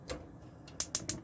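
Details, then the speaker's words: 2017 Bailey Unicorn Cadiz caravan gas hob being lit: crisp, evenly spaced snapping clicks about seven a second; spark igniter working normally, ring lights. "what we can do is is ignite it up or gas connected as you can see one ring lit"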